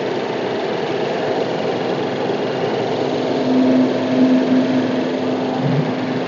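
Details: Suzuki Baleno RS 1.0 three-cylinder Boosterjet turbo petrol, after reconnecting a detached vacuum connection that caused the noise: smooth steady idle hum, no hiss or whistle; normal idle.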